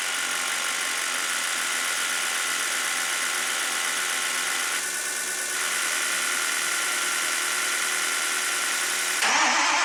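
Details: Old diesel tow truck, oil pressure showing and 16 quarts of oil: starter spins the engine steadily for several seconds but it never fires; fuel delivery being checked, cause unknown.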